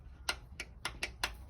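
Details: Lada classic (VAZ) engine with sharp, dry ticks about three times a second over a low hum: valve tapping persisting after the owner ground the rocker contact faces; rockers of old versus new type differ.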